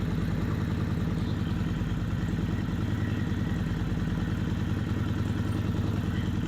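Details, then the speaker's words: Kawasaki Vulcan 750, warm idle, manual cam chain tensioner (replacing failed factory automatic ones) backed off half a turn then one full turn from starting point: light rattling clatter over the beat, slack cam chain clanking, much worse at one turn. "a half a turn for my starting point and you just started hearing the clanking of the cam chain and then to show you further what a a loose cam chain um sounds like I loosened it further to one full looser turn from my starting point and you heard the clanking really bad"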